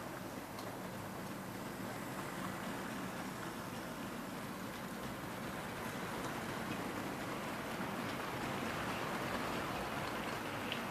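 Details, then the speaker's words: EFE/Kernow Southern Railway CC1/Booster (Class 70) model locomotive, brand new, running in at 50% speed pulling a train, drawing 200 milliamps: steady, even rushing of motor and wheels, no surges or knocks; normal running under load. "And she's bang on 200 milliamps, so that's good. Very positive, 200 milliamps with a good load."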